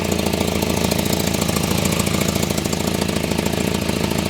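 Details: 1984 Volvo 245 parts car, 91,000 miles, idling just after start: sharp, even puffing tick about three or four per second over the idle; owner says "that's an exhaust leak."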